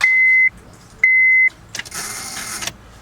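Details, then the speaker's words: Key turned: two short high beeps, then brief hissy electrical whining buzz, no cranking; intermittent, sometimes starts when key pushed in hard; no-start with electrical whine, cause not confirmed. "I don't know if you guys can hear it, but it kind of sounds like an electrical, like whining, like zzz, zzz."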